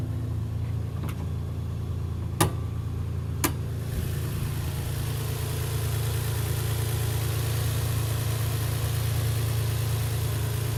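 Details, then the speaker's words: Infiniti G35 engine with a light, uneven tapping over a low idle rumble, clearly heard in the engine bay; engine shudders when put in gear; owner first thought an exhaust leak, passenger side just behind the engine. "You put it in gear. You can feel a shudder in the car and that tapping sound."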